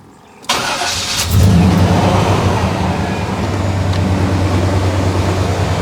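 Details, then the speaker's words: 1989 Chevy K1500 mechanical fan, after fan clutch replacement, engine warm at idle: steady idle with strong even whoosh as fan pulls hard; normal engagement. "it's going to take I don't know a couple minutes maybe for that spring as it's drawing air through the radiator which is hot it's heating the spring up and it's going to allow the fan to uh lock up more"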